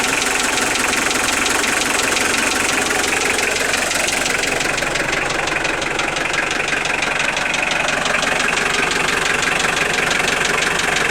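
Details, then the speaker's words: Unexplained engine knock at idle: sharp, regular knock about four per second over the engine; sounds like a connecting-rod knock, but the owner says the rods were opened and checked, so the cause is unknown. "Стук похож на шатунный, но это не шатунный нифига, потому что шатуны я себе скрывал, смотрел."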